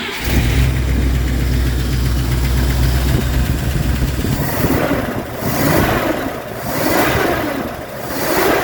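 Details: 1965 Buick Riviera V8, first start in 15 years with new battery and cable: starter spins a few seconds, then engine catches and runs, revs surging and falling evenly; healthy start.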